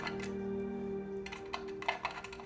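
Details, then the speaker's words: Spectacle60 keyboard with PC plate, GMK keycaps, Kaisya switches: sharp keystroke clicks with a hard ticking edge as the plate bottoms out, impacting the bottom of the case and becoming stiff. "it's literally impacting the bottom of the case and becomes very stiff that's not a great thing to happen obviously we do not want that"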